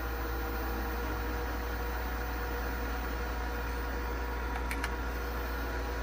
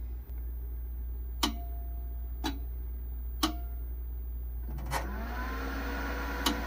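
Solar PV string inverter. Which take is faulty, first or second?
first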